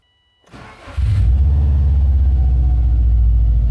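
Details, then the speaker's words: 2004 Subaru Impreza WRX, second start after spark plug change and swapping driver's-side ignition coils (first start was super rough): brief starter whir, catches into even steady idle without stumble; normal idle. "Okay, that sounds better. That sounds a lot better. So, I swapped the ignition coils on the driver's side."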